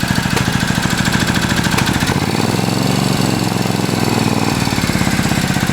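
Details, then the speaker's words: Hot Triumph twin before carb sync and pilot adjustment, choke applied to test mixture, where idle rising would mean lean: steady, slightly uneven idle thump; whether the speed rises isn't clear. "so bikes hot we're gonna choke it out and see if it's running clean or rich"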